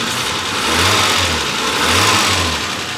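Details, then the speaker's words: Renault 25 V6 Turbo idling at low revs after ECU repair: steady, even, smooth idle with no hunting and no longer the earlier high idle; ECU no longer burning. "this is a smooth idle and it's not a high idle like it was"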